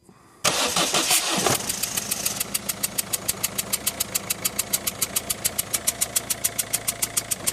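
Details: Citroën Berlingo 1.6 HDi diesel, 123,000 km, cold start: cranks and catches with smoke that fades, then a sharp regular tick about three per second over the idle persists; source unidentified, engine otherwise seems normal.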